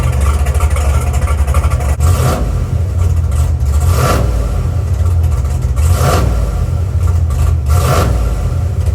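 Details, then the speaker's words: Chevrolet Monte Carlo big block on E85 with ATM Dominator carburetor, first run after build before turbo kit: deep even rumble with smooth rev swells, no knocks, rattles or vibration; idle and valve train sound good, healthy. "Yep. Sounds really good in idle. The valve train sounds good."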